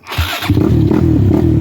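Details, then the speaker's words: 2007 Suzuki LTR450 fuel-injected quad that idles and revs fine but, when ridden, runs lumpy with irregular popping and banging and no power; misfiring, cause not confirmed. "You guys hear that popping and banging? It's got like no balls. That's what I'm talking about right there."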